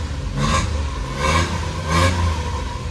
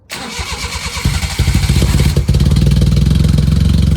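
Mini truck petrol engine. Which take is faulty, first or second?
first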